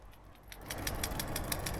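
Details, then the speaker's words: 1998 Honda Civic EX coupe 5-speed, new PCV valve (located under intake manifold above oil filter) shaken by hand: quick light clicks about six or seven a second; free-moving valve, normal, unlike old clogged one that caused poor idle. "my pcv valve was definitely bad uh this is what a pcv valve is supposed to sound like"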